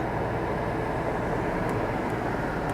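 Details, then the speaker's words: Window AC unit seasonally installed in a 2019 Casita Freedom Deluxe fiberglass RV (uses about a third of the roof AC's energy), switched on low cool, heard from inside: steady even roar of fan and compressor, no knocks or surging; running normally but pretty noisy. "so let me turn this on on low I'm going to turn the AC on low cool okay now"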